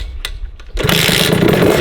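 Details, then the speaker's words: 50cc two-stroke motorbike, carburettor main jet checked and judged not blocked: a few kicks, then it fires and buzzes along steadily with its typical crackly two-stroke note; starts readily and runs fine, normal start. "Donc là, si genre je la démarre, ça démarre du premier coup."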